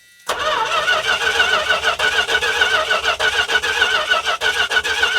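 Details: Dodge truck, fuel line disconnected at the pump to test flow, possibly weak battery: starter turns the engine in a steady rhythm of compression beats without catching while varnished fuel squirts out; plain cranking.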